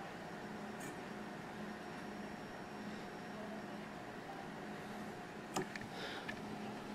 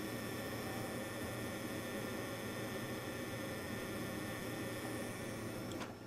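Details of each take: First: Peltier-cooled wine fridge after cleaning/makeshift repair, heatsink cooling fans running with front display board unplugged: faint, steady low fan hum with light tonal drone; fans normal, cooling top and bottom. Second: Faint steady electrical buzz with thin high whine from a Peltier wine cooler's failing control board, recorded with the top board unplugged; the previously replaced top board did the same before failing.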